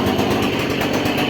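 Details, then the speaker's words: Stihl KM56RC pole saw, two-stroke, after reseating drive shaft that wasn't interlocking at the engine end: high buzzy even steady speed with no bogging; head now spins, running normally. "So the other side up by the engine wasn't connecting. Now you fire it up and she spins."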